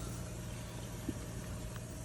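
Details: Newly installed WaterDrop WD-G3-WNP reverse osmosis system during its roughly 5-minute initial startup flush: steady, even, low pump hum with no knocks, rattles or surges; running smoothly.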